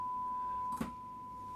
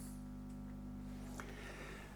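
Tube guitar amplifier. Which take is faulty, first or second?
second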